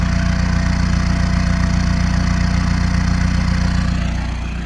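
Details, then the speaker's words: Peugeot 306 sedan XUD turbo diesel after work on air in the fuel: fast diesel idle clatter with slight remaining lumpiness that eases; much of the surging, fuel-hunting loopy idle is gone. "So I thought I better just start the car and see if I've lost this loopy idle."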